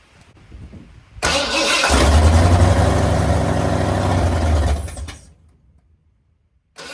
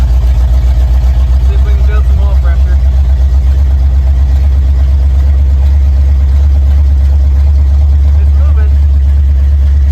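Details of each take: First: Mildly built 351 Windsor swapped into 1980 Ford F-150, carbureted, after oil change: starter spins engine evenly about four seconds, never fires; owner suspects fuel pump not working, crank no start. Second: Mildly built 351 Windsor (small cam, roller rockers, gear-drive timing) in 1980 Ford F-150: deep even idle rumble, strong steady beat, no stumbles; healthy.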